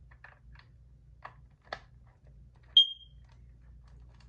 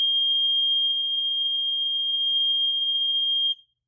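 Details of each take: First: Kidde Nighthawk KN-COPP-B CO alarm (1997, 3 AA, replaceable KNCORS-1 sensor): plastic clicks then one short sharp chirp, display showing error with sensor removed, while the sensor is refitted. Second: Kidde/Nighthawk KN-COPP-B carbon monoxide alarm (3 AA batteries, made 1997), test button held: one steady high-pitched tone about three and a half seconds, then stops cleanly; healthy sounder.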